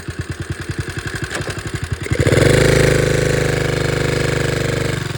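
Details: 1961 Honda 50 Super Cub 50cc single, engine rebuilt from parts in a crate, no battery, electrics unfinished, carburetor due for replacement: steady slow idle, about four beats a second, then revs cleanly and settles back, smooth and even.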